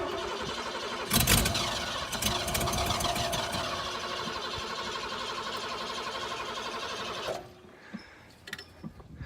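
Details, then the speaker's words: Ford F-150 sat about ten years, fuel at least 10 years old: catches on starting fluid with throttle held open, runs rough and uneven about six seconds then dies; stale fuel, tank pulled as fuel wasn't reaching it. "gas in here is probably at least 10 years old Jim"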